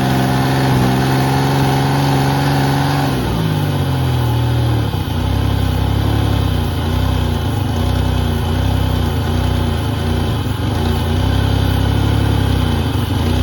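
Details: 1988 Pontiac Firebird 2.8L V6, 230,000 miles, not started in about 13 years: engine drops from fast idle to steady even idle after a few seconds with no knocks or misses; normal idle.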